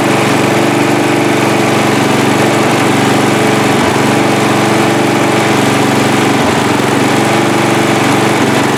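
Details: Free riding mower, engine test after gas tank was drained and fuel added; it had been flooding before starting. Loud, even small-engine drone holding steady speed without misses or surging: running cleanly, normal running.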